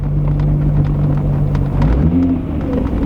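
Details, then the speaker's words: Mk3 creeping along after work underneath: low, even rumble with no tinny rattle or buzz underneath, and only the door card still moving; the underbody rattle appears fixed. "I think we fixed under the car though that'd be nice"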